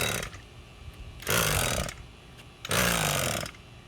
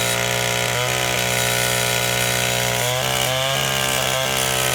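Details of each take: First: Echo SRM 225 straight-shaft two-stroke trimmer after carburetor repair, pull-starting: short sputtering pops about two per pull, the popping sign it is close to firing. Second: Old, worn Echo SRM-225 trimmer with replacement eBay carburetor, run without air filter, owner suspects low compression: steady high two-stroke buzz with a couple of brief blips, running cleanly and holding speed.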